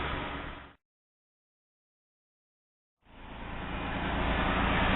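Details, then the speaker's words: 2008 Jeep Wrangler Rubicon at about 57,000 miles, idling after a new water pump: even hum with no squeal once the serpentine belt, installed backwards against its wear pattern, was turned around; belt now quiet. "okay i turned the belt around as you can hear it it got rid of the horrible squeal that was happening"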